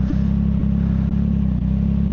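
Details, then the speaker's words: CFMOTO 675SS with a Team MSC ECU tune and full exhaust system, after a ride: a deep, slow, lumpy idle with a low thump and a slight stumble about twice a second; the idle sits unusually low, and the rider is unsure if that's normal. "The idle, it holds it very weirdly. That's pretty low. That's a pretty low idle. Huh. I don't know if that's normal."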